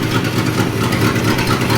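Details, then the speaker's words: 1961 Chevy Apache, revived after 20 years parked in the desert: a loud, uneven idle with a lumpy beat as a cylinder keeps dropping out. A misfire suspected from the plugs. "Like Dad was saying, it's got a miss, so it's probably a probably a plug."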